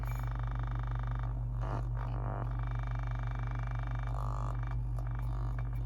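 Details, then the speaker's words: Infinity speaker after first-attempt surround re-foam, fed a ~50 Hz tone through an amplifier at low volume: steady low tone with rough rattling buzz, cone misaligned or surround edge flapping (suspected); buzz indicates misalignment. "But what that does, turn the volume up on that a little bit, you can kind of hear when it buzzes like that. When it's doing that, it means it's not aligned."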